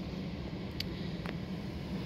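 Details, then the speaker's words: Mini One being diagnosed for a K-Bus fault that stopped the blower motor. With the ignition on, the fan is turned back on: a steady, even whoosh and low hum with no rubbing or ticking. The blower is running normally. "so ignition is currently on so all being well I'll turn the fan back on so you can hear it the fans back on"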